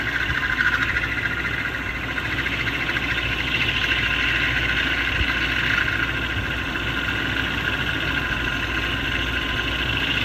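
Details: BMW M73 engine at steady idle with a loud, high whirring hum that comes and goes every few minutes, as if a pump were starting and stopping. The source is not yet found: intermittent pump-like noise at idle.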